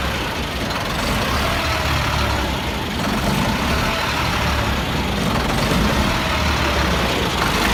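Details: 1999 Freightliner diesel truck with hard start/no start, at idle; heavy rumble rises and sags every few seconds, hunting, with blue-gray exhaust smoke, then dies; owner suspects bad fuel pressure sensor, unconfirmed: surging idle.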